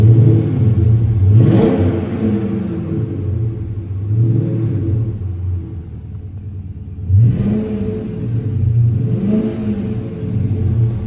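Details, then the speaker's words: 2007 Dodge Magnum SRT-8 with 48,000 miles, 6.1L 425 hp Hemi V8 and 5-speed automatic, revved a couple of times after start-up. Deep V8 rumble climbs smoothly through quick blips and settles cleanly, with no knocks or misses. Healthy engine. "great. You just hear that Hemi. Here's your Hemi under the hood here. 6.1 liter."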